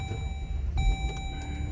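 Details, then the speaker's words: 2011 Jeep Grand Cherokee WK2 fires and settles into steady low rumble with a chime, starting normally after ground strap installed and codes cleared; previously no-crank with P0622. "And she runs."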